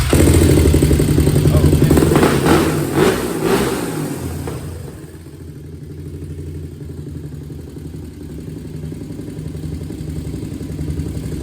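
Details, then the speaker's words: 2001 Honda TRX400 with a small tick after valve adjustment, cold start: loud blips then settles into a steady thump near four beats a second with no tick; a healthy single idling smoothly. "I don't know, it sounds good. It sounds like it got the V-Touch to me now."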